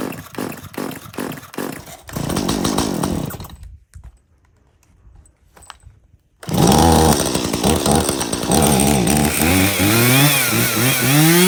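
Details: Stihl MS170 chainsaw that doesn't run well, fuel checked clean with no water and bar oil full: a few pulls, a sputtering start, then uneven revs that surge and sag instead of holding steady. Rough running, cause not yet confirmed.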